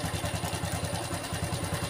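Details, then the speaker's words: Honda Revo FI injection motorcycle, owner complains of rough noise: rapid even clatter on every idle beat, about ten per second, heard with a mechanic's stethoscope; worn camshaft and rocker roller. "Ini pasti suara sentrik karena suaranya Tuh udah krecek krecek krecek krecek"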